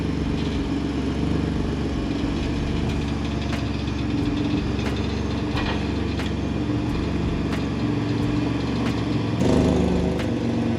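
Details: Rough car just acquired in a trade, backed in the next day: loud raspy idle with uneven puffing and sharp ticks over a deep rumble. Owner suspects a huge exhaust leak, unconfirmed.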